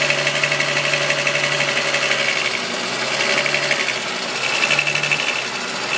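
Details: VW Golf VR6 2.9, 103,000 km, idle: a fast, uneven metallic rasp and buzz, apparently from the top end. The owner's chain-like rub grew louder after replacing the upper hydraulic tensioner screw. Likely chain-related rattle, unconfirmed.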